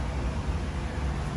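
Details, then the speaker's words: True T-49F freezer condensing unit, just out of defrost: steady low electrical hum from a regular contactor fitted in place of the original relay, not the fan as suspected; replacing it quieted the unit. "it's the contactor does it hear that that's the relay inside there we should have one on the van they thought it was the fan making noise"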